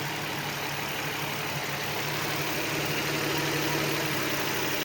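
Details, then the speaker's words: Nissan 350Z engine, warm, idling with all auxiliary belts removed to trace a knocking noise: smooth, even idle hum with a steady low beat and no knocking or ticking. Knock gone, so the engine itself is fine; owner suspects a tensioner, pulley or steering pump with shaft play. Normal idle. "But no more noise, which is amazing. Of course, there are some errors as the belts are not on the car, but the engine sounds just amazing. So, that means no engine problem. It's warm and it's running perfectly."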